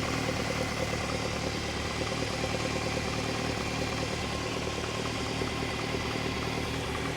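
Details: Unrestored original Lotus Elite with new spark plugs and tuned carbs, 4.5 on all 4 cylinders: steady even idle at 1100 rpm with a smooth regular beat, no spitting or misses; normal idle.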